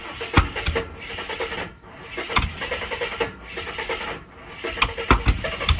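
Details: Ford AU Falcon off-road project with a different ECU loaded with the Ford map, just revived after sitting: uneven, lumpy running with sharp pops and dips about every second; misfire, after which the spark plugs were changed.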